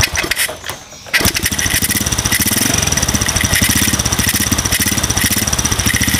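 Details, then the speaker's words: Modified single-cylinder motorcycle with RVN 53mm cylinder block, racing camshaft and rocker arms: fast fine ticking over uneven idle persisting after tightening valve clearance, lighter than loose valves, not cam chain; valve-train ticking, source unclear. "pun dia masih ada suara kayak trik trik trik trik trik trikk trik kayak suara klep setelan klep tapi ya enggak separah kalau setelan klep kendor"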